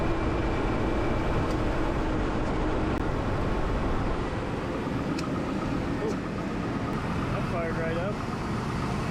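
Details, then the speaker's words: 2002 Chevy Blazer 4.3L V6 Vortec, first start after sitting about 5 months, following transmission shift solenoid replacement and a refill with Dexron. Smooth, even idle with no misses or knocks. "I mean, that runs pretty dang good. These engines are awesome."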